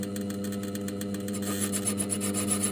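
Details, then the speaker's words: Mini lathe turning an aluminium disc for a humanoid robot part, with stock not perfectly concentric. A steady scraping rasp pulses once per turn over the lathe hum as the tool bites harder on one side; interrupted cut. "you can hear is not perfectly concentric."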